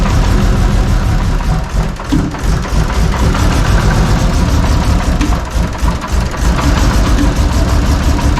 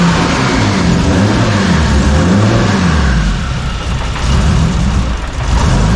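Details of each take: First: Toyota 2JZ inline-six, previously running rich, needs throttle held to barely idle: loud lumpy uneven chugging idle, cylinders dropping out; misfire. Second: Engine after warped intake manifold repair and fresh plugs, running on a Haltech base tune: revs up and down cleanly with a full, even exhaust note, no stumble or misfire; now firing on all six cylinders.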